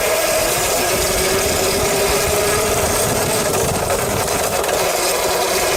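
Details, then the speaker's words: Mototec electric dirt bike after repair: loose chain, which had been rubbing on the metal bar, was tightened by moving the wheel back; steady mid-pitched motor whine with faint light rattle, clicking nearly gone, normal motor sound remains. "it's more just of the actual motor now making that noise so if you have this dirt bike and you do not like that sound this is definitely something you'd want to"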